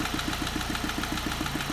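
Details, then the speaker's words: 2005 Ford Focus petrol engine idling with a steady knock-like tick about seven times a second, mistaken for engine knock but caused by a loose rubber cover. "so if you hear this i mean reasonably you might think it's a an engine knock that's what i thought it was"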